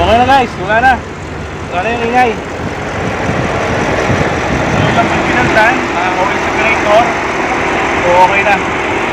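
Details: 2015 Audi A8 L, whistling PCV oil separator issue: smooth, steady idle with an even hum and no whistle or hiss under some outdoor noise; engine idling normally.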